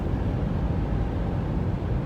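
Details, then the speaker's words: 2017 Subaru Crosstrek after a bad rear wheel bearing was replaced, road-tested at about 40 to 60+ mph: an even, low tyre rumble with no rhythmic hum or drone. Normal road noise. "no vibration noise whatsoever. I know you can't hear it on the phone, but it was like just a humming noise."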